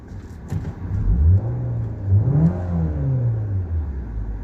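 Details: Nissan just after a transmission replacement, sitting at idle; customer says it sounds like a go-kart: loud buzzy drone that swells with small rev changes, no visible leak, cause not pinned down; abnormal loud exhaust drone.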